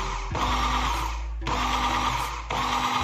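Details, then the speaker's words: Makita 4327M jigsaw after about 2 years of use, body undamaged: steady buzzing motor hum cuts on and off cleanly three times at even speed, no rattle or grinding; switch and motor working normally. "Dengan tombol terkunci, mesin atau tombol sakelar masih berfungsi dengan baik."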